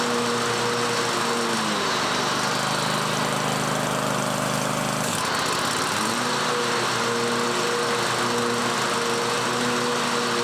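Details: John Deere 130 mower after blade replacement and makeshift gas tank fix, deck reinstalled: small engine runs at a fast even beat, dips briefly as blades engage, then recovers smoothly; sounds healthy.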